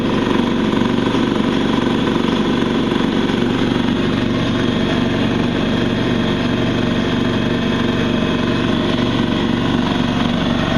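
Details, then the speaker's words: New open-box DeWalt D55146 oilless 200 psi compressor, 4.5 gallon tank, filling the tank: steady even pump drone, no knocking, rattling or speed changes, surprisingly quiet with little vibration; running normally. "It's surprisingly quiet too. Doesn't vibrate much also."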